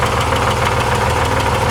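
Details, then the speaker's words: Air-cooled engine idles with a loose, erratic metallic rattle that changes every revolution over its low pulsing beat; owner rules out connecting rod and wrist pin, suspects something spinning loose or a worn crankshaft thrust bearing. "I hear it it's rattling wrapping away but it's erratic it's not consistent it changes a little bit every revolut"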